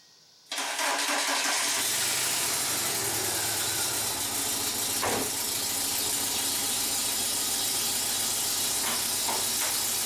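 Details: Car that mostly sits, starting before Rislone engine treatment is added: catches and settles to idle with light, fast ticking over hiss; dirty hydraulic lifter tapping from sitting, quieted by the treatment.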